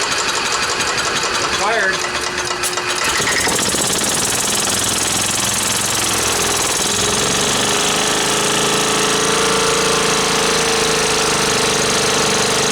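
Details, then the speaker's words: Club Car golf cart petrol engine, first start after 4 years stored in a barn since it quit, float bowl just primed: a coarse uneven clatter as it catches and settles into a shaky, lumpy run. Rough running. "well you guys probably shook around like crazy but guess what it ran"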